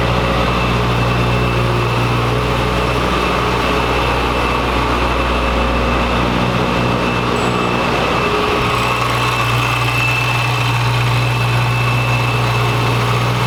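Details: 2011 BMW E90 M3 at first start after a VF Engineering supercharger install: steady even idle rumble with a constant high supercharger whine on top; normal supercharged idle with supercharger whine.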